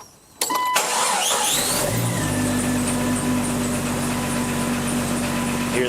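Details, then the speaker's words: 1999 Jeep Cherokee Sport at start-up: sharp rising squeals fading into a steady idle with faint chirp, from the AC compressor rather than the belt. "a lot of times you think that it's belt making the squeaky noise, but it's not. Uh, it's actually the AC compressor."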